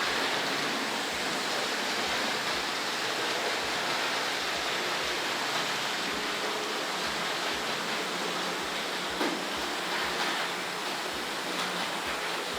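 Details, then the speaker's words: Hornby R.751 Class 37 model diesel locomotive on the layout; fast irregular clicking about four per second over a steady rush, like wheels crossing points; owner suspects he left the curved points unclosed, possible derailment. Clattering over points. "I think that sound is me forgetting to close those curved points over there."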